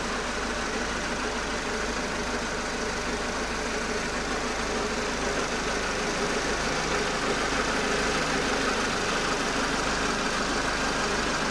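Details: Engine at steady idle with an uneven tapping about three times a second over the hum; abnormal engine noise of unclear cause.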